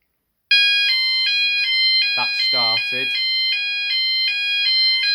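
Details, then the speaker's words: E.M.S. FirePoint System 5004 fire alarm in a house, triggered by a smoke test at a detector: several sounders sounding together with a steady high-pitched tone pulsing about twice a second; alarm working as intended. "and then you can hear the other ones have started in the background [Music] all the other Sounders are going off as well"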